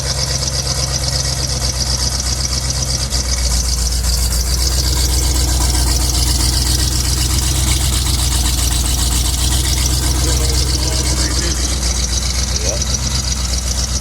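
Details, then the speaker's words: 1985 Chevy C20 truck, carbureted V8 with new muffler, cold: steady, even low rumble at slightly raised idle on choke, blowing some steam, no knocks or misses; choke definitely working. "Oh, that thing sounds good, dude. It's blowing some steam. Yeah, the choke's definitely working. That's good."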